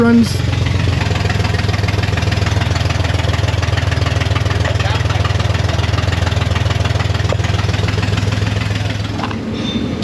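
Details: Car towed in as a no-start after running out of fuel, cranked with an AVAPOW A68 6000 A jump starter to draw fuel through a long line to a rear engine: now caught, steady even low rumble, smooth regular beat, no misses or knocks.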